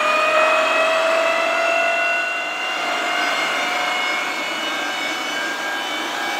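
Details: Rolls-Royce Dart turboprop dry cycle on 24 V, 500 A battery supply via start panel relay: steady multi-tone whine over even air rush, slowly settling; turbine turns freely on the starter.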